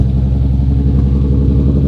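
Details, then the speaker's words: Audi RS3 with junkyard VR6 on new custom engine harness and relocated ECU, first start: deep even growl with steady firing and no knocks, misses or rattles; normal idle, new loom working with no ECU errors. "The completely new loom is working. I mean, Jesus, Stav, you hear that growl?"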